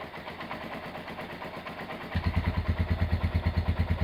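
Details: Restored Honda GL100 engine, possibly about 2000–2002, with new Aspira piston, CDI ignition and inlet valve clearance 0.10: even single-cylinder thump about three beats a second, firmer once settled, no ticks or knocks; smooth, healthy idle.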